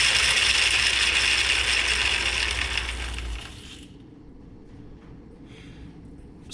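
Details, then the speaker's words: Atlas 10F lathe with QC42 quick-change gearbox, gears engaged but gearbox out: loud, fast metallic clatter about three to four beats a second, stopping with the drive; worn, sloppy change gears and loose shafts, replacement gears ordered. "So, it's it's quite noisy. I did order replacement gears."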